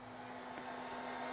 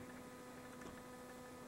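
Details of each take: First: 600W inverter on a small booster pack running house circuits: as load rises to about 95 W, the steady cooling fan rush over a low hum grows louder; fan ramping up normally. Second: 600W inverter on a small booster pack powering house circuits, about 70 W load: steady low buzz with higher tones and faint irregular ticks; it doesn't like multiple CFL bulb loads but runs them, owner thinks it's probably not good for it.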